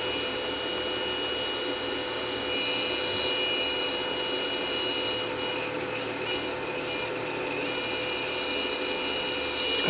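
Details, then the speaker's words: Sony DNW-A30P player damaged in transport: steady scraping hiss with fixed high-pitched tones while the drum spins; suspected the slip rings under the cover, possibly knocked out of place by an impact, unconfirmed. "wonder what's under this cover should just be slip rings but the amount of noise they're making just doesn't sound right"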